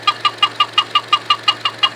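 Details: 2012 Chevy Cruze four-cylinder with sharp high-pitched chirps about six per second in step with firing; valve cover replaced four months earlier; squeak later found to be two loose spark plugs.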